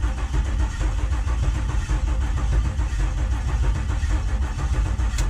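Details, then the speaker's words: Cranking no-start on an LS-swapped C10 with engine rewired and fuel pump fuse pulled during a compression test; steady heavy cranking with an uneven beat and no firing. One cylinder reads zero compression, possibly a burnt valve or out of time. "that one's got compression so at this point we know I've got at least one dead cylinder could be a burnt valve could be out of time could be multiple things"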